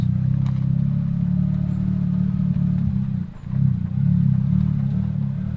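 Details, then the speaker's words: Mazda drift car driven over bumps after removing a rock lodged on the lower control arm: steady low engine drone with no clunks or rattles; normal suspension, no rattle, though rock doubted as sole cause. "well we're nothing there steam rec sounds good suspension sounds normal there's no bumps and rattles anymore"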